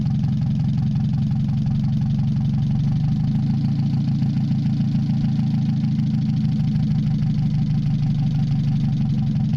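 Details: Mazda 626 first start after cylinder head reassembly, warming up, rest of exhaust not connected, oil overfilled: loud deep idle, slightly uneven wavering beat, heavy vibration. Owner suspects O2 sensor misreading open exhaust, possibly old gas. Rough fluctuating idle.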